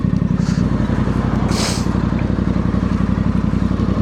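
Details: Voge DS625X motorcycle after crash damage repair and coolant leak fix, idling warm after a ride: steady, even thrum with no knocks or misses, faint traffic around; radiator fan cuts in, no leaks, healthy idle.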